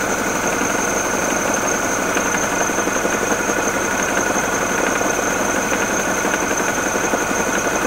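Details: Mini Cooper R56 N16 petrol engine at idle with the water pump driven: a light, quick, somewhat irregular knock, original condition before the pulley and belt were replaced.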